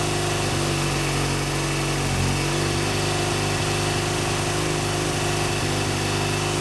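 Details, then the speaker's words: BMW R100GS Paris Dakar twin, first start after engine reassembly: uneven, lumpy idle that stumbles and hunts; rough idle, oil leaking onto exhaust pipe and smoking. Cause not confirmed. "i do still have quite a bit of work to do obviously the bike doesn't run great but it does run which is you know an accomplishment after taking an engine ap"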